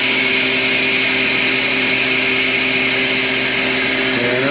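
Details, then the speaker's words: Harvest Right freeze dryer at the end of a cooked-ham batch, after the 15-minute cooling period: steady rushing hiss over a faint hum as air bleeds back into the chamber, pump stopped; normal vacuum release before opening the door. "that lets the pressure off so we can open the door. The pump has quit pumping."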